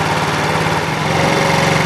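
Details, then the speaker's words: TaoTao ATM50-A1 scooter, GY6 50 / 139QMB carburetor, first start, warmed about 5 minutes: single-cylinder idle fast and steady after idle mixture screw adjustment raised speed; idle speed screw then backed out to compensate. "you can hear that my engine's really picked up from adjusting the auto mixture screw so I'm going to go ahead and adjust the uh speed screw out a little bit to compensate"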